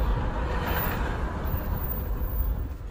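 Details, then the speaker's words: GMC Envoy all-wheel drive, 251 km (as read), driving at speed: a deep, steady growl under road noise from the front. Suspected front differential (thought to be housed in the oil pan) or hub bearings, to be checked by jacking up the front. Drivetrain growl while driving. "You know, this is an all-wheel drive, so there's a front diff on the front. I think this is the one with the diff is like it's inside the oil pan. You know, that's a pretty common to go out, the diff."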